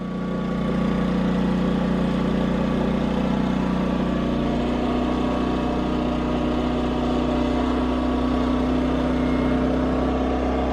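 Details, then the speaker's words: Portable generator powering the solar garage inverter in utility mode while charging the battery at about 30 amps, not overloaded: steady drone climbs and settles higher as the charging load comes on, throttle ramping up normally. "Oh, there you go. It's ramping up now."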